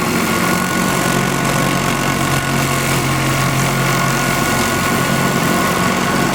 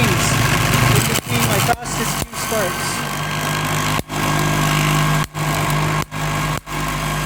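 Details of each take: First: MiniSpark 18 electrostatic machine with epoxy-filled disc, 1.233 nF capacitor bank, 1 cm spark gap: even crackling hiss over a constant low hum, no dropouts or surging; very consistent, strong discharge. Normal running. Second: MiniSpark 18 electrostatic machine (1.233 nF capacitor bank, 1 cm spark gap) running: continuous rough scraping hum with brief dropouts, because the setup isn't rigid, so it shakes and the internals rub.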